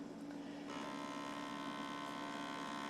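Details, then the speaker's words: Dell XPS M1210 laptop powering on after an SSD install: a steady low hum, then a thin, even whine as the DVD drive spins up at start, which is normal for this drive. "yeah, DVD drive likes to make that noise when it starts."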